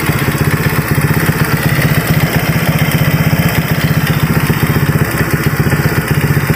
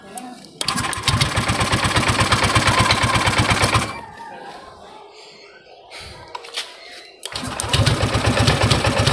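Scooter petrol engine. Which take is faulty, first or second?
second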